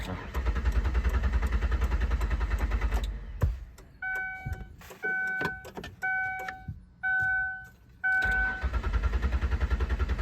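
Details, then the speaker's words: 2003 Ford Windstar van with water-contaminated gas, cranked with the idle air control valve removed: sluggish cranking at about three and a half beats a second, a chime between tries, never catches; the battery is now too weak to spin it. "Where the hell's my key at? [ __ ] car. Oh, it's so dead now."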